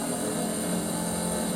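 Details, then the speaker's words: Triumph Spitfire wiper motor after repair, bench-filmed on the car with ignition on: intermittent, speed 1, speed 2 then back down and off; steady, even whirring hum with no knocks or grinding, motor running normally and parking. "So if I do intermittent, hold it down and then let go, and then it stops. Don't fall off, please. Up to speed 1, up to speed 2,"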